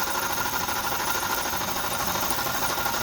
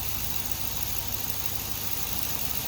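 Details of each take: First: Idling GMC Yukon, model year given as '02, on a cold day of about 15°: steady rough whirring with a faint ringing and no deep knock. A dealer blamed the rods; the owner suspects a worn alternator bearing and is swapping the alternator. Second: Engine started after starter work: smooth, even idle with steady purr, no knocks or misses; normal idle, owner says sounds much better, rod knock concern dismissed.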